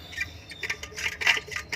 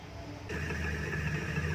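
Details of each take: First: Indo ceiling fan, 230 V 50 Hz, running with uneven dry ticking and rubbing about twice a second over a quiet motor hum; a dry, jammed lower bearing, fixed without changing bearings. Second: Indo 230 V 50 Hz ceiling fan after fixing its noise without changing bearings: a low, steady motor hum spins up and holds smooth with no rattle or scraping; it runs quietly.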